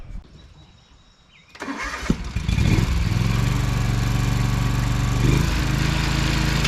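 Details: Gravely ZT60 HD zero-turn mower after swapping in a used Kawasaki 26 hp V-twin, with fresh oil and new blades: quiet, then the starter catches and settles into a steady, even low thrum with no knocks or misses; healthy engine.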